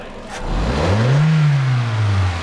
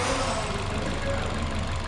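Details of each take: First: Toyota Fielder petrol engine that was misfiring and lacking power, after injector cleaning and flow test: smooth idle and four clean revs, climbing and settling with no misfire or stumble; fuel filter in the tank also to be replaced. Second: Toyota Fielder petrol engine idling and revved unevenly, low thrum stumbling: misfire and loss of power, before diagnosis; plugs and coils found OK, injectors removed for bench testing.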